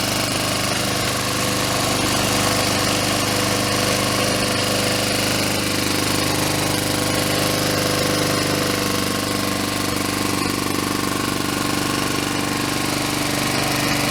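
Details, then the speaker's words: Honda Harmony II HRT216 lawn mower after carburetor and fuel system cleaning and fresh gas: steady, even run with a fast, busy beat and no stumbles. The idle seems high; the self-propel drive still does not work. "Well, I'll look at that a little more, but the Honda is back alive. Sounds pretty good. Idle might have high, but until I figure out the self-propelled."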